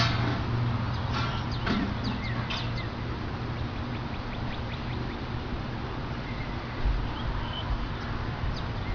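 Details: Goodman packaged heat pump, camera set on top of unit, thermostat lowered from 81 to 79 to start in cooling mode: steady low hum settles in under airy fan rush; normal startup.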